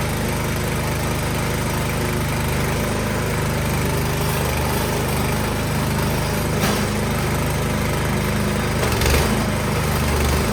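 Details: Craftsman snowblower after troubleshooting a no-start and reassembly; small single-cylinder engine holds a steady, even buzz with no misses, knocks or surging; normal running.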